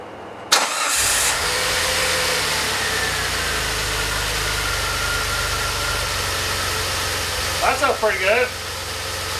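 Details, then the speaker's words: DeLorean, started months later after smoke-testing for vacuum leaks, cold: catches into an uneven loping idle rising and falling slowly; warm it idles about 1700 rpm, cause not found. "Alright, well you heard that idle. It kind of lopes there, and then when it warms up, it idles about 1700 RPM."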